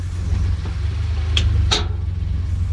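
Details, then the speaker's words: 2016 Ford Expedition shifting between drive and reverse, heard with windows down: two sharp metallic pops half a second apart over idle. Suspected worn bushing or bolt in the rear arm at the cross support pressed into the frame. "there it is right there again again yup that's it right there either that bolt that bushing is wore out in that arm"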